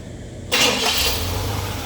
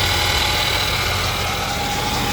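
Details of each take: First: 1976 Cadillac restarted hot after about 20 minutes running with AC on: quick crank, immediate catch, then steady even idle; starts cleanly. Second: 1976 Cadillac V8 at warm idle after timing work: thin, steady high whine over the engine note from the failing alternator; replacement alternator awaited.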